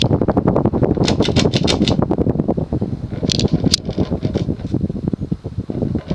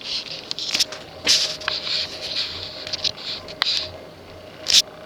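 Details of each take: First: Early-1980s Sears/Emerson 54-inch ceiling fan with heavy plastic blades, non-reversible two-speed motor, on high at about 175 RPM: steady airy whoosh with soft even pulses and no wobble or clatter after vibration stopped; running smoothly. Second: Early-1980s Sears/Emerson 54" drop-flywheel ceiling fan on low speed (capacitor/resistor circuit): light, irregular clicking and buzzing over a faint motor hum. The loose switch housing rattles against the nylon bushing at the flywheel and goes silent when held.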